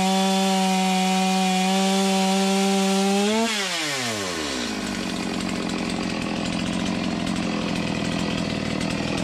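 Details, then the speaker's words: Used Stihl MS250 chainsaw after replacing crank bearings and seals, cutting wood: steady high-pitched scream that drops and settles under load, smooth with no grinding or rattle; the earlier grinding noise is gone after the bearing replacement. "That was fun, huh? Sounds good. Not hearing a bunch of noise like I was before I replaced the bearings."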